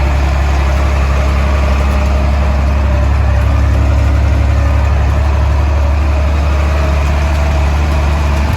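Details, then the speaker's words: Old International diesel idling on a 32° day, rockers last set at head gasket and injector cup job: heavy idle with loose uneven clatter about four a second; owner suspects rockers/valves need setting, unsure if normal. "so did I do correct in thinking that I need to uh R this in to the workshop this winter to set the uh valves to set the Rockers seems very rattly"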